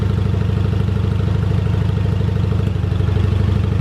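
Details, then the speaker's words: 1985 Yamaha Virago 750 found to be running on only one cylinder: lumpy, loping idle with a regular thump and small pops, idling higher than the roughly 500 rpm seen after riding; owner suspects a lean condition, possibly leftover Sea Foam in the fuel. "hear her popping a little bit and when i came back in after riding she was idling at about 500 under a thousand and right now she's uh running above that it has to be a leaning out issue"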